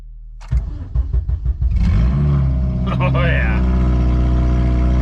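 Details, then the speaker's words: 8th-gen Honda Civic Si (FG2) with the exhaust system removed and O2 sensors unplugged, check engine light on: cranks and catches, then a harsh, raw, very loud bark on each throttle blip. Open exhaust; sounds awful. "yeah that sounds awful also got to check engine light cuz no O2 sensors but we're just moving it from the driveway to the backyard so it's out of my way now that we got the exhaust off"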